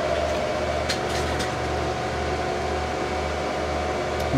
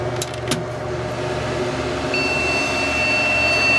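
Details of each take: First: HP Pavilion A1210N desktop after removing the added 1 GB RAM stick and running only factory memory: fans spin up to a steady, even whir with no beeps and the hard drive is heard reading. Normal boot, no beep code. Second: HP Pavilion A1210N desktop: a thin, steady high beep comes in halfway through over a low fan hum at power-on. Owner suspects an added 1 GB RAM stick, mismatched in this dual-channel system, is incompatible with the board; POST error beep.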